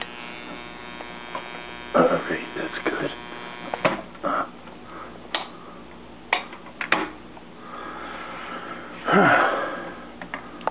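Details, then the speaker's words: Washing machine parts wired together, with the timer turned manually while the button is held down. A low motor buzz with sharp clicks every second or two as the timer advances normally. "I hear clicking oh that's the uh timer clicking when they hold this button down"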